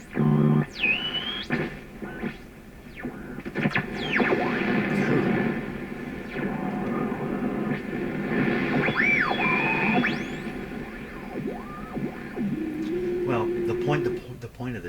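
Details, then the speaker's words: Canadian Pye Model 39HC radio on a loop antenna via the shortwave input, being fixed for motorboating: squealing whistles slide in pitch over hiss and crackle with heavy bass, horrific heterodyne interference on poor reception. "it's producing lots of bass even though what i'm listening to is junky noise signals and some horrific heterodyne"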